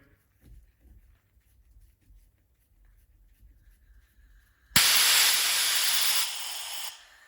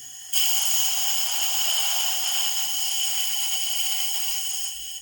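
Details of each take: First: 2012 Harley-Davidson CVO FLTR Road Glide oil pump on the bench during Feuling lifter and cam bearing job: air-pressure test after fitting new Feuling plunger and spring; sharp two-second air rush as relief valve pops off right at 60–61 psi, working correctly. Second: 2012 Harley CVO FLTR Road Glide oil pump on a bench air test: a sharp, steady air hiss from about 10 psi that grows loud by 30 psi, against a 50–60 psi target. The relief plunger is not seated and leaks; the fix is to reseat it.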